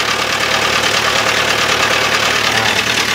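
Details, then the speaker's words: Toyota Avanza engine idling with a steady metallic knock about three times a second; noise reportedly gone once oil pressure rose; suspected failing crankshaft bearing, possibly camshaft or eccentric. "biasanya kan suara itu timbul dari Idul bearing yang mau pecah ya guys di bearing atau mungkin gaming sign atau sentrik nya"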